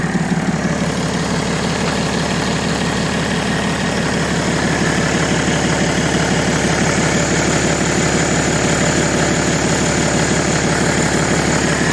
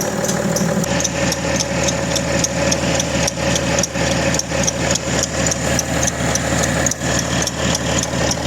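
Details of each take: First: BMW E90 325d/330d with M57 diesel at idle after refitting the original accessory belt: a steady idle with an even beat around three per second and no squeal or chirp; the belt noise is gone. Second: BMW E90/91/92/93 325d/330d M57 diesel at cold start: fast, fairly regular light chirp about twice a second over the idle clatter; accessory belt squealing when cold.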